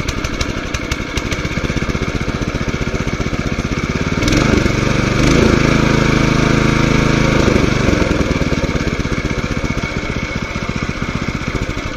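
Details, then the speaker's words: Small petrol water pump engine for farm irrigation, three months in use, just pull-started with choke: fires steadily and evenly, pitch briefly rising then settling; running smoothly and healthy. "ఇంతే అండి. ఇదైతే ఈ విధంగా చాలా సింపుల్గా start చేసుకొని of చేసుకోవచ్చు."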